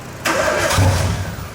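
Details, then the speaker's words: Nissan Skyline RB25DET first start after an engine swap, with no exhaust fitted and the blow-off valve blocked off: a brief starter crank, then the engine catches on the first try with a deep rising rumble. "It wants to start. wants to."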